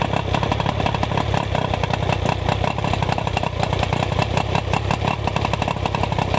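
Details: Outboard motor after ignition work, coil boots trimmed and silicone grease on connections: steady, even buzzing run at constant speed, no misses or surging; normal running.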